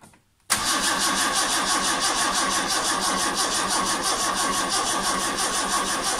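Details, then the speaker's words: Vauxhall Chevette HSR replica, not started in years, no coolant or alternator fitted, spark unchecked: steady sluggish starter cranking about three beats a second, no firing; weak cranking blamed on batteries and a poor body earth. "yeah I'm just gonna give it a try very sluggish starter a little mess around with batteries battery connections and stuff"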